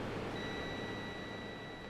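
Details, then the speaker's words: Sega CD repair: a multimeter continuity check on the fuse gives a steady, unbroken high beep lasting over a second; the fuse is good. "So the fuse is good, so that's good."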